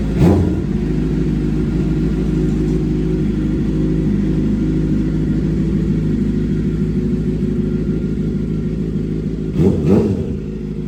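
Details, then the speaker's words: 2007 Suzuki GSX-R 750 (K7) wrecked-bike rebuild, after fixing an earlier rattle: steady, even four-cylinder idle with brief blips and no ticking or rattle; the tensioner is now working fine. "There we go. Not hearing like a loud rattle like last time. So I think let's let it run a little bit and see if it starts making a sound."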